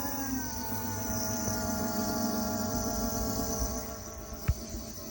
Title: Motorgeräusche des Segway ZT3 Pro D. Ist das normal?